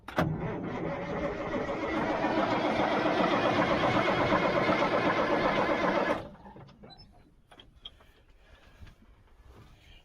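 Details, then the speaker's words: 1977 Mack R-model diesel spins at a steady four beats a second for six seconds and never fires. Fuel should be spraying out of the top of the injector pump and isn't. Cranking, no start. "it's just fuel should be coming up spraying out of the top of that injector pump and it's not"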